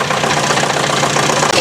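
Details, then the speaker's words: 1966 Datsun 520 farm truck, first start after 40 years abandoned: old engine idles steadily with a busy, even clatter and no heavy knock; an initial noise is thought to be clutch and flywheel settling, not a main rod. Normal idle. "Let's fire it up. I think that's the clutch and flywheel just self-leveling there. And not a main rod."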